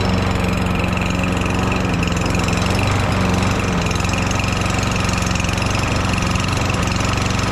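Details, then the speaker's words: Lawn mower fitted with a swapped engine: a steady, low, lazy drone with even firing. The engine speed is set too low, the muffler is suspected loose but isn't, and speed is raised by bending the governor tab toward the front. "engine speed is a little low I'm going to try to adjust that now"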